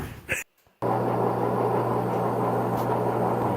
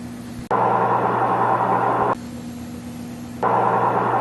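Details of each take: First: Maytag front-load washer drum turning with a rough, steady growl, a bark and a low hum that gets louder, from a failing drum bearing before repair. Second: Maytag front-load washer after bearing repair: even swishing tumble bursts over a steady motor hum, no growl, rumble or grinding; a healthy drum.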